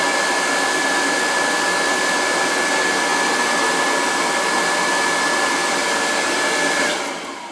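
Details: Riello oil burner at annual service, head cleaned earlier in the year, thermostat jumped out: lights and settles into a smooth, steady roar with a clean fan hiss, no stumbling or pulsing; normal run.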